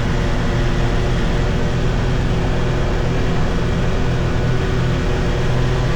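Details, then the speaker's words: 2022 Can-Am Defender HD9 DPS cab with factory heater, after foam weather stripping secured the loose heater core; steady road and engine drone under gentle acceleration at 30-45 mph, no cab rattle, faint tingy sound. "Okay. So, that that was a lot better. I heard this little tingy sound after, but I never noticed that before. Probably cuz that was rattling too much."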